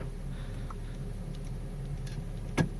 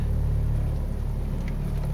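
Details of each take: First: Healthy Honda Civic with 432,000 km, started cold and in reverse gear, as a reference against a car with a failed top engine mount: a low, smooth, even idle hum with only faint clicks and no thumps or rattles. Normal idle. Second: Honda Civic, cold idle in reverse: heavy deep rumble with strong body drone, no knocking; failed top engine mount, fixed by replacing the mount.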